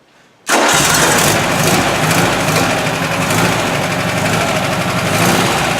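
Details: 1970 VW single cab air-cooled engine, supposedly rebuilt and broken in, sounds like a typical 1600, run by working the carb: busy, rough, uneven roar with noise from one bank and heavy doghouse vibration; possibly a bearing, unconfirmed, oil level fine.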